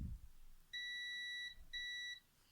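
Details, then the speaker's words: Multimeter in continuity mode: two clean high-pitched beeps of about three-quarters of a second each as the probes touch, confirming an electrical path. "But when I touch the probes, you can see the oil goes away and I hear the beep."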